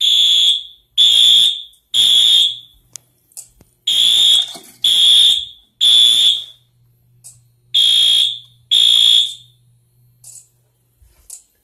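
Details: Fire alarm system test with new sync module and ESL 541 smoke detector smoked to trigger alarm: loud high-pitched horn blasts about a second each in repeating group-of-three pattern with pauses; horns sounding correctly.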